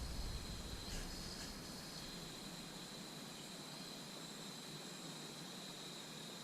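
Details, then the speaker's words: Roundhouse Russell SM32 live steam model loco after gas regulator replacement and jet cleaning: soft steady hiss of gas, constant after a brief initial fluctuation, flowing through the injector into the burner; normal flow, should fire up. "we know that I can put the gas in there and obviously the gas is coming out now into the burner so we know that that should fire up"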